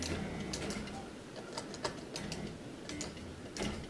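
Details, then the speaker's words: Betson claw machine after restoration, covers on: quiet soft whir with light irregular clicks as the claw moves; smooth and even, mechanism healthy, nearly good enough for commercial service. "right now this thing is almost good enough to go back in service like I could put it in a commercial setting and it would do just fine"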